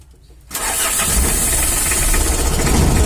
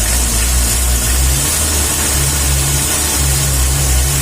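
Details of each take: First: Mitsubishi L300 or Isuzu Panther diesel, shaking and lacking power: catches and settles into a heavy, uneven clatter of about four knocks a second with a rough shake, caused by wrong injection timing. Diesel knock. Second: Diesel after retuning a weak fuel pump with injection timing set to maximum: revs up and holds full throttle with a smooth even note, no rattle or knock; setting is fine.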